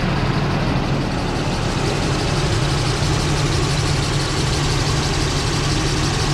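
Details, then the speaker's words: 1995 Nissan D21 Hardbody at about 141,000 miles, idling: a steady low squeal/whine over the engine that got much louder with the A/C on. Caused by a seized fan clutch (fan hard to turn by hand); replacing the fan clutch fixed it. "this truck being new to me i thought that was the normal engine sound but as you can hear there is a squeal or a wine and the reason i started looking into it is because that squeal got a lot louder when you turn on the ac"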